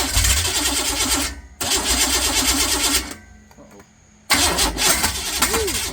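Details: Fresh 383 V8 for a 1970 Camaro, hydraulic roller cam 294/296 intake 304/306 exhaust, roller rockers, about 11:1 compression, aluminum heads, 750 dual-pumper carb, on pump gas: cranks, catches, barks to life, then choppy loping idle with sharp revs; healthy.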